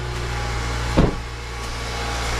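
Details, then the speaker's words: 2010 Honda CR-V just after an engine swap, first start: steady, even idle with smooth low hum and no knocks, ticks or misses; engine sounds healthy, smoke only from penetrating spray on exhaust. "sounds great honestly that sounds really good"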